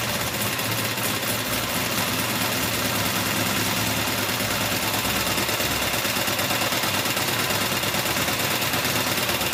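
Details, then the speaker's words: 1984 Honda VF750F on first start after a starter motor swap: fast, loud top-end clatter over a busy idle. Cause undetermined; owner suspects cams or badly maladjusted valves. Fuel leak noted; may be running very rich, with white smoke. "The major problem was it was incredibly rattly coming from this end, and can't really determine what the cause of the rattle was. It sounded a little bit top end, it could be cams, might just be incredibly maladjusted valves."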